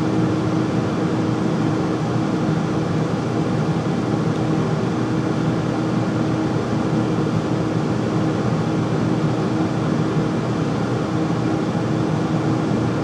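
Constant loud droning hum with a steady mid tone throughout, no knocks or cycling; the furnace simply runs noisily.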